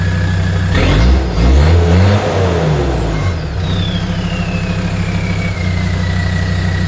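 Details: Land Rover Defender 130 TD5 diesel, first start after sitting a while and after fuel purge and bleeding (earlier starts were hard work, ECU earth initially missed); catches quickly, settles into an even, smooth diesel idle, no knocks or misfire: normal start and idle.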